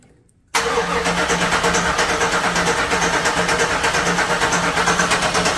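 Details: 1996 Impala SS, first start attempt after over 10 years sitting, fresh gas added, key lock bypassed: starter cranks steadily at about three turns per second with an even chug but never catches, fuel pressure and injectors questioned; crank no start.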